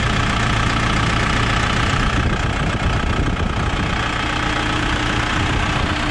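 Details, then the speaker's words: New Holland B95 backhoe diesel after water pump replacement: steady, even clatter at idle with no belt chirp. Engine running normally. "sounds better no more belt chirping"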